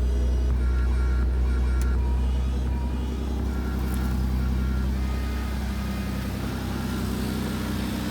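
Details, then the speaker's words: BMW E36 just after an oil and filter change, very cold on choke: even, smooth idle easing down slightly with no ticking or clatter; the earlier strange noises and knocking are gone, with no smoke, and it sounds healthy. "Et rien qu'à la vidange, j'ai plus de bruit étrange, de claquement ou quoi que ce soit. Donc ça fait plaisir."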